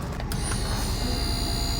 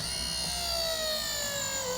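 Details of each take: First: Grand Design Momentum RV new disc brake conversion, pump triggered by squeezing the truck's trailer brake controller: faint steady high whine over truck idle; pump activating normally, communicating well with the truck. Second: Grand Design Momentum RV after conversion from electric drum to disc brakes, second bleed pass, pump activated: whine winds up then gurgles briefly instead of deadheading immediately; air still in brake lines, needs another bleed.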